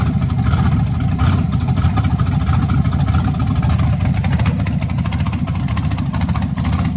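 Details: 1992 Chevy S10 with an LS swap on its first start, with temporary exhaust, three-bar MAP and a suspect oil pressure sensor: a deep, steady rumble with a loping beat and a light rev, no knocking or tapping. Normal idle.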